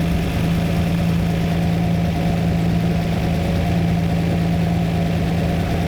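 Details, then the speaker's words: Lamborghini V12 with carburettors, idling while a rich mixture screw is adjusted by ear: deep even idle, the tone lowering slightly as the mixture is leaned, with popping from the cylinder trying to work; idle tone change during mixture adjustment. "I have to listen to the tone of the engine to hear every Screw As I adjust it you hear the Tone's gone down that that popping is the cylinder trying to work"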